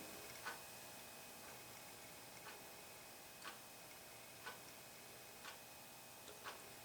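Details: Vintage GC Electronics soldering station set to about 300°F, heating up with transformer humming: faint sharp ticks about once a second over quiet hum; heater control clicking on and off as it starts acting up.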